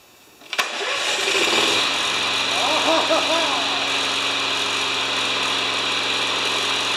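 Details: Yard Works/MTD mower with Briggs engine, wind-up spring auto start with touch-and-mow key, before tune-up; quiet then sharp catch, fires first go into steady even run.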